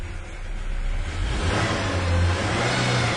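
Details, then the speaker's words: 1997 Ford Ranger at idle: uneven, lumpy idle that wavers and surges. Fuel pressure is low at about 30–32 psi, below 40, and the engine has a long crank before pressure builds. A bad check valve letting fuel drain back to the tank is suspected. "Right now we've got very low pressure still, below 40, which explains this terrible idle."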